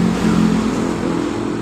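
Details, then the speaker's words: 2015 Honda Beat Pop scooter that stalled after a few meters and lacked power starts at once after the rotak part was replaced, 42 PSI pressure reading; smooth, even buzz with no stumbling, normal running. "jadi motor langsung hidup seperti ini setelah kita mengganti di bagian rotaknya"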